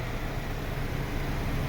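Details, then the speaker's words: MINI Cooper Countryman that had a silent no-start, traced to a dead starter motor; after only a new starter is fitted the engine catches and idles with a low, steady rumble, no misses or knocks. Normal idle. "จบเลยไดสตาร์ทตัวเดียวนี่นะไดสตาร์ทตัวเดียวนะครับเครื่องติดเลย"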